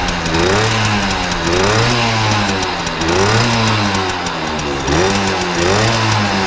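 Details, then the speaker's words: 1980 Benelli 3 V K Export two-stroke moped, warmed up: crisp, clean rev blips about every 1.5 s with no misses. It runs healthy. "quindi voi abbiamo visto che è un motore che fa un rumore molto, molto forte, sentiamo che sembra volerlo,"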